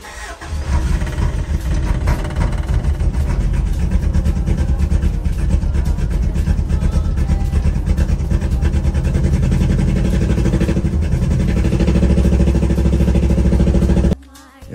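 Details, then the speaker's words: Toyota Venture at first cold start in the morning: petrol engine idles unevenly and lumpily, wavering instead of settling, then cuts off; carburettor suspected to need redoing. "the cator needs to get redone because at first start up in the morning it sounds like"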